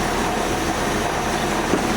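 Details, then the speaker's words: AMC Jeep engine idling after a carburetor cleaning, with the air pump belt removed to isolate the noise: a faint whirring rumble at the front that stays with the belt drive. The water pump looks to be the cause. "to try and isolate it because I know the pump always made a little noise. And it looks like it's the water pump."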